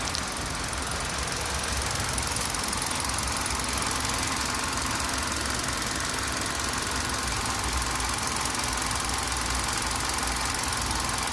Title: Clunking Noise from Engine